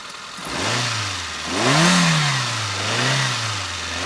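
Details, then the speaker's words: 2008 Hyundai Getz 1.1 GSI after replacing the original HT leads (cylinder 1 lead broken, causing misfire under load): revs cleanly through two throttle blips and settles to a steady idle, no stumble or popping. "let's start it up and see what it sounds like there we go nice and smooth let's give it a little bit of throttle and see if it"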